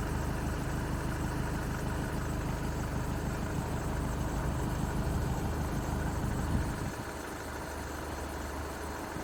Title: skoda octavia a7 1.6 tdi 2016 strange noise related to belt